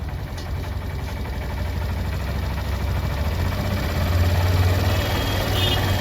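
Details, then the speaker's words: Single-cylinder motorcycle, engine warmed about 5 minutes, during carburettor mileage tuning with RPM (idle) screw tightened: slightly raised steady idle, even low thump, no misses; advised to keep rpm only as high as tolerable. "करेंगे इसका RPM इतना आप लोग रखें कि आप खुद भी मतलब इसका साउंड सह सके इंजन की जो साउंड है आरपीएम है वह आप सहने तक ही रखें ज्यादा स्पीड नहीं रखना है ज्यादा नहीं बढ़ाना"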